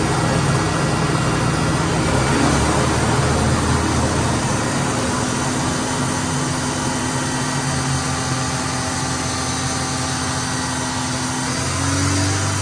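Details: 1992 Suzuki Sidekick in 4x4 mode: steady engine drone with a dense, uneven low rumble and faint whirring overtones. Strange drivetrain noise when four-wheel drive is engaged, cause unknown.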